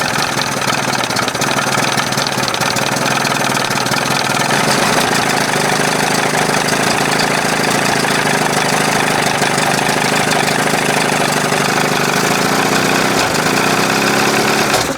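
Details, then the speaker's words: 1981 20 hp Evinrude two-stroke outboard, hot, idling on its own with carb butterfly closed and throttle at the second mark after thermostat replacement and flush: fast, crisp idle with a thin, hollow note; judged way too lean, though a big improvement. ">> Boom, way too lean. Big improvement. It's hot, man."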